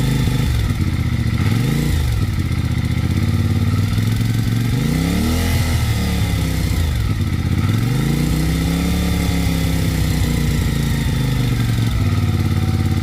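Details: CFMoto 450MT at about 7500 km revving up and down with a light, fast ticking clatter over the exhaust note: cylinder head noise attributed to a valve guide problem.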